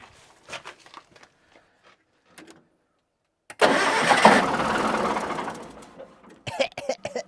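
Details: Diesel on a scrap-yard communication tower, unstarted for 15 years, cranks steadily for about two seconds but never fires. More priming is tried next, cause unconfirmed.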